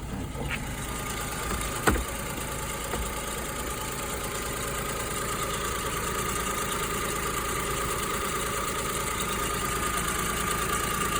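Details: Kei car engine after a chemical treatment for knocking, where coolant may have been entering the cylinder and causing abnormal combustion; even, steady idle with no knocking and a mild rise in revs toward the end.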